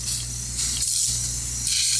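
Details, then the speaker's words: Cheap MALLOFUSA air bead seater tank filled to about 50 PSI: steady high hiss over a low hum, staying even throughout; compressed air leaking past the cheap tank valve. "All right, so this valve is garbage. So let's empty it. This is garbage. It's leaking from here."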